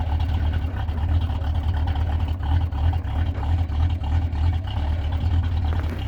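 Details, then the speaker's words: Classic Ford idling just after a -30 degree cold start (it stalled once and was restarted). Deep, steady low rumble with an even, slightly lumpy beat and no knocks or squeals: a normal cold idle. "There we go. Well, she's running. And she sounds bitchin', doesn't she?"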